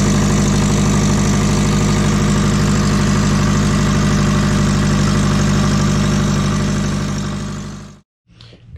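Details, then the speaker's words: Twin-turbo low-mount Subaru, started after sealant cured: rough idle with a sharp rapid puffing tick, about three per second, until shutoff; exhaust leak suspected at the headers or the 50 mm wastegate, unconfirmed, manifold nuts to be tightened. "sounds like it's actually coming from the headers uh if it's not the headers it's definitely that 50 millimeter wastegate"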